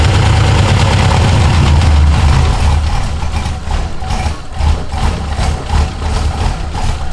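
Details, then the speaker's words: LS1 V8 swapped into an F100, first start: deep, even rumble that settles into a steady idle with no throttle input, no clinking or misses. "i didn't touch the gas pedal it just rained and idled sounded great well so far not too bad no clinking sounds no fires no explosions nothing coming out of the exhaust"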